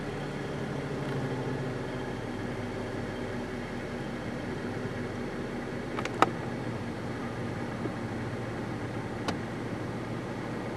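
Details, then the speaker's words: 2011 Chrysler 200, engine running, heard inside the cabin: a soft blower hum with sharp, isolated clicks from behind the glove box. A failing blend door actuator, one of three identical actuators, which was then replaced. "oh you hear that noise from coming behind the glove box that's what I thought it was that's a blend door actuator"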